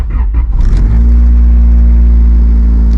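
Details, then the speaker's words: Honda Civic EJ9 with D15B VTEC swap after fitting eBay billet lower engine mounts; heavy low droning rumble at idle after a brief rev, mirror vibrating and panels rattling; excessive engine vibration from solid engine mounts. "I cannot see out of my wing mirror because it's vibrating that much. My panels are rattling. Yeah. So needless to say, these things are horrendous."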